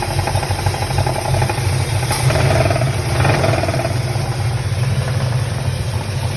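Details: 1966 Chevelle 396 V8 at idle: a steady low idle with a regular light tapping on top. The engine is knocking; the source is not identified.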